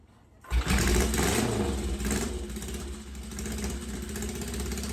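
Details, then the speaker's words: 1963 Honda CL72 scrambler after a top-end rebuild and carburetor swap: coughs, then an uneven lumpy idle with smoke. The right cylinder's pipe stays cold while the left runs; a carb issue is suspected. Rough running. "I don't really think this one was running as well as the uh left cylinder here."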